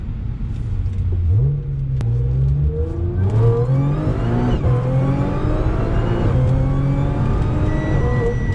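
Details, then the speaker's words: Audi S4 3.0 supercharged with new Magnaflow resonated X-pipe replacing test pipes, manual mode, part throttle in fourth at low rpm; rising supercharger whine over smooth exhaust, no drone or rasp as before. "Obviously wasn't hard throttle, but normally fourth, low RPM, that used to be absolute drone city. Now it's just supercharger city."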